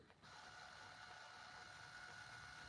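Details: Untested Canon GL1 MiniDV camcorder rewinding a tape after playback: faint steady whir with constant high whine and light gear ticking, the tape mechanism working normally.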